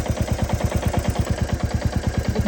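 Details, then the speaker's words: Royal Enfield Classic 350 Reborn with FuelX Pro Plus on map 3 (lean burn), hot after about 11 km, combustion chamber 118: sharp regular knocking about eight per second over the idle beat, losing power; combustion knock from lean mixture. "the engine started losing power because at map 3, which is lean burn, its engine got heated up, and I'm trying to check the temperature."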